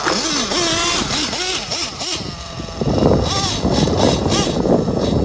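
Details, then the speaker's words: Jammin JPX 21 nitro engine with Pico head in an RC truggy, just warmed up, carb tune on the rich side: idle pitch keeps wavering instead of holding steady; slight two-stage idle, owner expects it to stabilise once hot. "Tune is on the rich side, so I have a slight two-stage idle. But that's fine for now."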